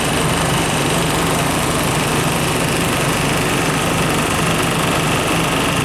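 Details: Ice-making milk tank refrigeration system on robot milker, restarted after oil sight glass repair and about 2.5 kg R134a charge in cold weather, drier not yet replaced; constant even hum, steady low drone, no knocking or rattles; compressor running smoothly.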